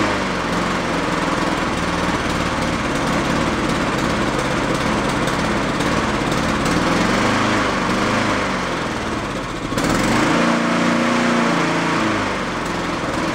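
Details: Yard-sale Honda mower after fitting a slightly larger jet; slow rise-and-fall in speed that never settles; the larger jet didn't help, hunting from a clogged idle circuit; runs decently on partial choke.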